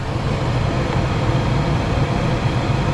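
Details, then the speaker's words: Truma Aventa Comfort roof air conditioner in a caravan on vent mode, fan set to high: steady, even low whooshing hum with no knocks or rattles; running smoothly. "so we can put that on vent, and I believe, yes, you can then change your fan speeds, so you can go high, let's just speed it up there."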